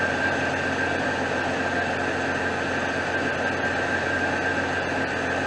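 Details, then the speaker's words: 2001 Jeep Cherokee Sport 4.0 six-cylinder after replacing a failing power steering pump: smooth even idle, knocking gone, faint steady belt-area whine. "so the knocking's gone which is good"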